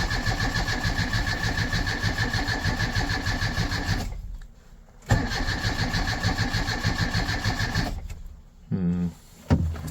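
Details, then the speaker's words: Starter turning steadily about three times a second with no catch or firing; no spark because the ignition points are not moving or opening when the engine is rotated, so it cranks but won't start. "So if I just rotate this around for you, you see that the points are not moving at all."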